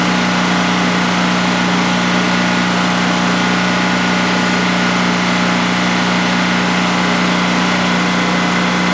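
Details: New DuroMax XP15000HX generator installed in a shed, second start-up on propane with the exhaust fan off: an even, steady drone at constant pitch with no misses, knocks or surging over a 5-minute run. Normal idle, no issues.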